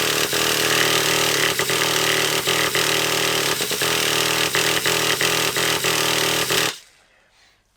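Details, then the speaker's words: Traxxas Revo 3.3 nitro RC car, cranked indoors: fast even buzzing crank with regular ticks, never fires; fuel smelled trying to burn, the engine is thought to need heat, starter cog doesn't always grip. "we are gonna need a bit of a heat on it I can smell the fuel you know I can smell it trying to burn so he's trying to burn"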